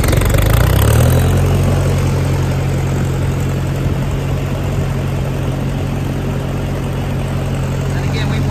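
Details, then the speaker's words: 1956 Massey Ferguson MH50 gas tractor with a 6-speed transmission, new battery and fresh fuel, idling: low, steady, even beat with no knocks or misses. Normal idle. "You can see you need to put a seat cushion in it, folks. But the little guy was idling right along."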